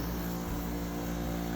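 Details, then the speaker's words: Dehumidifier about eight or nine years old, opened up: compressor keeps humming at steady mains frequency after being switched off and only stops when unplugged; relay stuck closed, though a ground issue was also considered. "see it doesn't turn off the compressor stays on until I unplug it"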